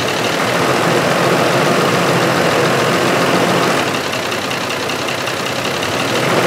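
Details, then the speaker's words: 2005 Ford F-150 5.4L 3-valve with misfires, P0022 over-retarded cam code, VVT solenoids unplugged so no oil in phasers, relying on lock pins: light regular top-end knocking persisting as rpm is raised; cam phaser knock. "so when the BBT solenoids are unplugged there is no oil in the cam phasers and it relies on that lock pin to keep the two halves of the phaser locked together and you can hear I think when you raise the RPM that it still has that knocking sound"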